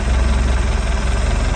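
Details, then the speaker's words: 1995 Larson 174 boat, 3.0 MerCruiser Alpha One Gen 2, after sitting three years. It fires right up and idles steadily with an even, quick firing pulse and no knocks or misses. Normal idle. "It runs. Sitting for 3 years. Fired right up. Sitting for 3 years. Just gonna sit here and idle."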